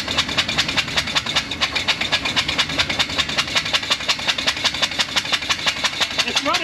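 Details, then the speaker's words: 1980 GMC P15 step van revived from a tow yard, running on five cylinders with one spark plug removed: rough running that shakes the truck, with sharp regular chuffs as compression blows out the open plug hole. "that runs on five yeah and it's shaking the whole truck the whole truck but it ran oh it stinks"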